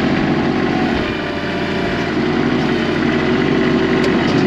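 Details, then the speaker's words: Small Kubota tractor diesel after starting: steady even idle, constant clatter, no misses; running healthy. "Click, contact. Just can't beat these little Kubota tractors."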